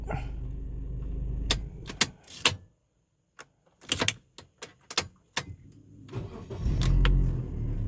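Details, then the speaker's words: Engine start after wiring repair with added diode to aid starting: several sharp dry clicks in a ragged burst before cranking and catching; intermittent starter clicking, fewer clicks than before, previously sometimes 3–4 clicks without starting. "สตาร์ทเวลาสตาร์ทมันชอบดังแป๊กๆๆๆนะครับเวลาสตาร์ทนี่มันจะแป๊กก่อนธรรมดานี่3แป๊กนะครับ"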